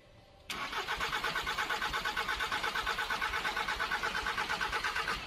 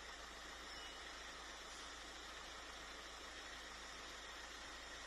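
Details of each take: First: Volkswagen Caddy 2K, 1.9 TDI (BJB/BLS) 8-valve turbo diesel, no engine light, fault appeared after driving in: the starter spins at a steady, even beat of about three compressions a second and it never fires; cause found as slipped camshaft timing. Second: VW Caddy 1.9 TDI (BJB/BLS) turbo diesel, cranking no-start fixed after refitting an intercooler pipe: starts first try, then a steady, even, smooth idle with no misses, knocks or hunting; normal idle.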